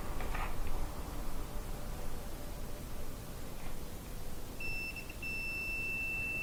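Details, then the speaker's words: Maytag gas dryer blowing cold air: multimeter continuity test on a new Whirlpool WP3392519 thermal fuse before installing gives a steady high-pitched beep, so the fuse is good; the old fuse had popped from overheating, almost always from a clogged vent. "maybe we'll test this one before we put it in make sure it's good"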